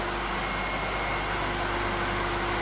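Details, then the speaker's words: 2.2 kW 380 V three-phase grinder motor on 220 V single phase after removing the starting capacitor, spinning towards the camera: even, constant hum with one steady tone, no knocking, surging or growl; normal running. "That's it, everything is working. We see, the motor is spinning towards me."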